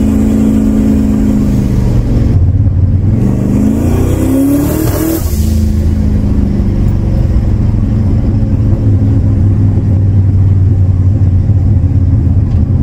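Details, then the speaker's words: 1999 Lincoln Town Car, 4.6 2-valve V8, turbocharged, over 20 psi boost, fresh bearings: loud pull with rising pitch stumbles and drops off midway then recovers, random misfire; owner suspects too-tight plug gap, data log to be sent to tuner, unconfirmed. "kind of sounds like it has a little bit of a random misfire now I don't know if it's cu the plug G's too tight"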